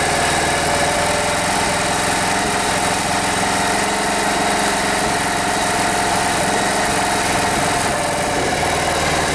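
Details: Rare Briggs & Stratton 5 hp air-cooled outboard motor after fixing fuel pump delivery by making fuel line airtight: steady even buzz at constant speed, no misses or surging; normal running.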